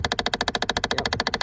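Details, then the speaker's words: 2008 Chevy Impala, no heat/cold: fast even machine-gun clicking, about fourteen per second, from behind the glove box; failing blend door actuator, stops when unplugged. "You can see this is the blend door motor that was making noise. It was a lot."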